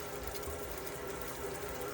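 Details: Elddis Autoquest 130 motorhome water pump after air purge, hot side of tap open: quiet, steady pump hum with water rushing, no sputtering or surging; fully pressurized and running normally.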